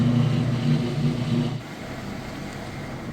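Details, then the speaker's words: Whirlpool (Roper-badged) direct-drive top-load washer at top speed on final spin cycle: steady low hum at high drum speed, even, no knocks or scraping, then easing off; healthy fast spin. "All right, we are at top speed on the spin cycle. As you can see in here, sounds great. It's moving nice and fast."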